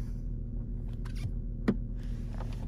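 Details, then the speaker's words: 2008 VW Touareg stuck in Park with key stuck, engine running: single crisp click as the brake is pressed, the shift-lock solenoid releasing normally, so the solenoid is good and the fault lies elsewhere. "so that's that's the mechanism actually releasing it so that's the first mechanism that has to get released which is linked with the solenoid"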